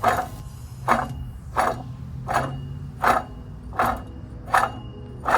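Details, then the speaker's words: Nissan Sentra rear wheel spun with car raised: rough clack about 1.5 times a second over a low drone, a very bad rear wheel bearing that was loud while driving; bearing replaced. "So that's a really bad wheel bearing right there, guys."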